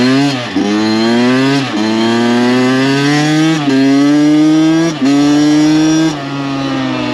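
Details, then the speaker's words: Rebuilt Kawasaki KX 85 two-stroke on first ride, brought onto the pipe at full throttle; crisp wail climbing through each gear and dropping at shifts, no vibrations, knocks or rattles, motor pulls strong; normal revving. "Everything feels really good. As you just saw, brought her up on the pipe, gave her full beans, and no weird vibrations, no weird sounds."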